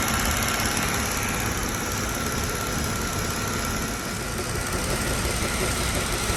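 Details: Mercedes-Benz W211 with a recurring engine misfire that came back 2.5 months after another workshop's repair, which included a new ECU: uneven idle with an irregular stumble in the exhaust beat. Misfire at idle, cause unknown.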